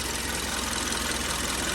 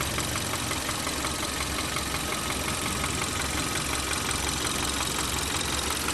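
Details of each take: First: 2013 Kia 1.6 L petrol at idle: steady idle with fast light ticking, normal direct-injection injector clicking; engine had a knock solved by removing engine sludge. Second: 2013 Kia 1.6 L direct-injection engine at idle: a steady light knock about three a second with a slightly rough, shaky, vibrating run and injector clicking, a knock later solved by removing engine sludge.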